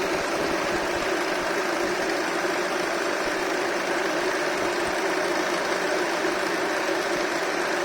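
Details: Honda Accord K24 petrol engine at idle giving off a dense, steady rattle layered over its running sound.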